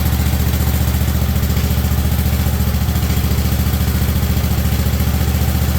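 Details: 1958 Wisconsin AENLD engine revived from a street sweeper, choke off, muffler fitted. Deep, even thump at about 3.5 beats per second with no misses or knocks; it runs smooth and purrs healthily.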